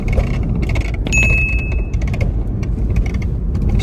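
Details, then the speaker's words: BMW 320i F30 (2014–2015) while driving: irregular rattles and light knocks from underneath over low road rumble, only under acceleration; suspension noise, suspected from the arm area, cause unconfirmed. "ele tá com barulho de suspensão mas esse barulho que vem aqui do porta do porta enc braço aqui meu amigo é muito alto aí ó ó como que fica"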